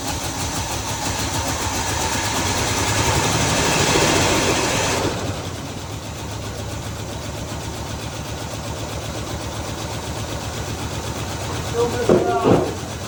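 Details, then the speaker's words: 1968 Chevy Caprice V8 with carburetor, sat about 20 years, running without a gas tank: lumpy idle with recurring stumble, heavy blow-by from valve covers; still missing while warming, improving slightly, cause uncertain. "Still missing out. I can still feel it. It's trying to come around."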